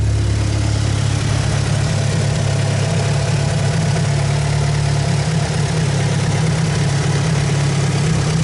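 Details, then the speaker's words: Mitsubishi 4G63 engine with turbo: deep loping idle with uneven beat and slight wavering revs, a lumpy idle. "but first let's check out that lumpy 4g63 idle for a bit"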